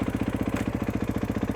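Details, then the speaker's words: KX450 with a Rekluse Radius CX auto clutch, idling in gear after free play gain was reduced: steady, even thumping of about nine or ten beats a second with no surging, stumbling or lugging; the clutch no longer drags. "it clicks into gear and it sits there as much free play game as you can run without it trying to drag forward or stall on you is good"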